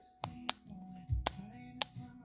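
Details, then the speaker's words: VVT solenoid from a 2006 Chevy Trailblazer 4.2 inline-six with code P0014, bench-tested with power applied: sharp isolated clicks about every half second, no mechanical movement, sounds stuck; solenoid judged bad. "it's not making any mechanical movement it sounds like it's trying to but it sounds like it's stuck so that's an issue"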